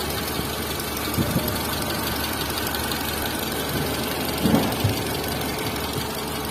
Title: TATA Zest Engine Cam shaft Noise | Engine Noise Problem | Zest Car Engine sound problem | #carengine